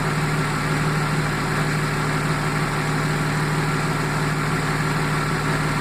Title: Jaguar XJ6 AJ6 X300 -95 engine misfire